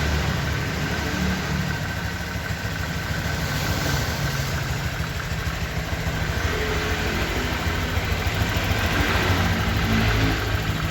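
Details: 2023 Honda Vario 125 new scooter at just over 1,000 km, idling: steady, even low putter, no knocks, misses or rattles; owner reckons it runs smoother than at 500 km, crediting correct break-in. Normal idle.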